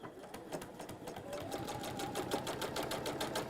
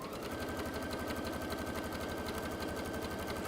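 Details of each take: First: Sewing machine stitching with a knocking clunk on each stitch: the bobbin sits slightly loose because it is a smaller non-genuine universal bobbin rather than a genuine Dukey one; fix is using genuine Dukey bobbins. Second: Juki DX sewing machine just back from service, sewing a straight line: even, steady needle clatter at about three stitches a second with a smooth motor hum; running normally.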